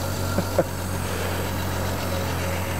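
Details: 1975 Triumph TR6 PI with Lucas mechanical fuel injection, individual throttle bodies, after tuning the idle air bleed screw: steady, even idle with a smooth low drone after brief blips.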